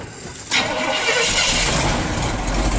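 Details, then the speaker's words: 1959 Chevy Viking 60 race car hauler V8, first run of the day: brief crank, catches and settles into steady, even rumble with no knocks or misses, good oil pressure; normal cold start and idle. "Wow. Sounds pretty good, Joel. There you go. Wow. That sounds real nice."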